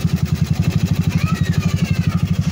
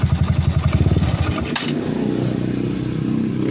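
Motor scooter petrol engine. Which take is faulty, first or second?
second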